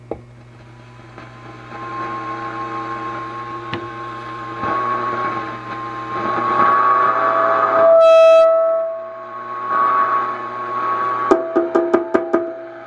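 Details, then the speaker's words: Sparton 931 tube radio after recapping: below 850 kHz, wavering howl swells and shifts pitch with volume setting, and tapping sets off ringing pings; suspected mismatched tubes or new capacitors near the coils; microphonic howl. "it just starts acting up like here's 900 and you go depending on where you set the volume it affects the reception of these lower bands or just oscillates"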